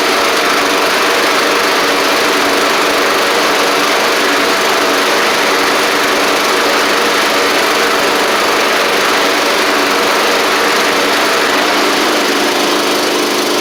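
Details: Troy-Bilt Pony riding mower after its Powermore engine was swapped for a Briggs & Stratton flathead, oil changed, hood back on, first test run: steady, even single-cylinder drone, no knocks or misses, holding constant speed; runs healthy.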